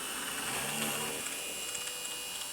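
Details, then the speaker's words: Innocraftsman mini drill press drilling plastic at half speed: thin, steady motor whine with a light hiss, pitch holding even under load; it drills a perfect hole with no chipping. "It looks just perfect. So, that's good. So, it works fine on plastic."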